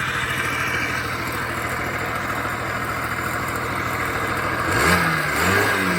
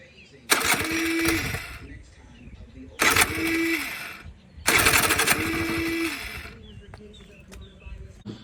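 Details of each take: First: Honda Spree scooter (1986 frame, 1985 motor, 1987 head) after fitting a known good muffler in place of the plugged one, with a known good carb. Steady, even idle with clean throttle pickup and no stumbling; fixed. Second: 1986 Honda Spree scooter on an 85 engine with an 87 head and a knockoff carb, with spark and compression: three short bursts, each catching about a second then dying, won't restart; owner suspects a plugged exhaust; hard starting and stalling.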